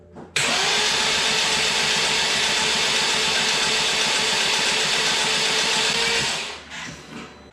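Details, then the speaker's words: Freshly rebuilt, previously seized BMW 328i engine cranked with spark plugs out, about 4.5 of roughly 5 quarts of oil in, to build oil pressure: steady fast starter whir, light even chatter, no firing. "Keep in mind I still don't have the spark plugs in. This just coils in place just so that nothing falls in there. But I'm going to crank it and this way we'll build some oil pressure and then I'll put the spark plugs in."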